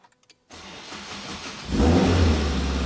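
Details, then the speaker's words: Car fitted with a newly wired stock Type R start button: about a second of tired, labouring starter cranking, then the engine catches and revs cleanly. A used OEM RSX Type S starter has been ordered to replace the old one. "That starter is a hunk. I ordered a nice used OEM, 100% OEM RSX Type S starter for it."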